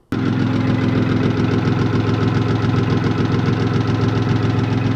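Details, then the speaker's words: BMW E36 318i with swapped-in M50 engine, running after exhaust completed: steady idle with a deep, regular knock about three to four times a second, pointing to worn bottom end. "We did get the exhaust done, which is the good part. The bad part is the [ __ ] motor's knocking."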